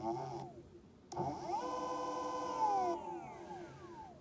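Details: Meepo electric skateboard hub motors after tightening a loose ESC heatsink that caused rattling: whine up in pitch, hold a steady tone, then wind down cleanly without rattling.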